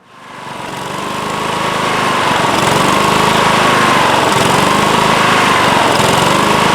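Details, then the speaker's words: Late-1990s Scotts lawn tractor, single-cylinder Kohler engine, run after sitting a few years: speed gently rises and falls in a slow steady hunting rhythm, governor arm moving back and forth; carburetor to be cleaned. "all right so you hear it running and you hear it surging um it's not as bad as some engines that i've heard you can see the governor arm moving back and forth as it's hunting and surging"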